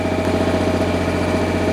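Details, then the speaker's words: MEP 1040 military diesel generator with heater on convenience outlet (leg one) pulling full amperage: steady diesel drone with firm low hum, governor adjusts and keeps up, puffing a little smoke as expected; healthy under load. "there it goes it just loaded up and it kept right up with it so it's doing exactly what it needs to do this is a great sign puffing a little bit of smoke but that's to be expected"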